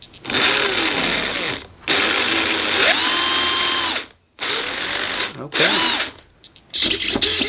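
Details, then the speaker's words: RC brushed motor on a newly installed Hobbywing QuicRun ESC, external BEC: clean rising whine, steady pitch, stops, then runs in reverse; forward and reverse both work normally. "to reverse everything works okay"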